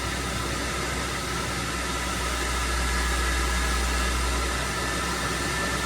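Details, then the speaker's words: Classic Mopar Dodge pickup with newly installed aftermarket air conditioning, blower turned up on high while testing the mode controller: steady, even rush of air, no whine, rattle or scraping; normal blower airflow. "So, if I can turn this up real quick, we should be able to hear it."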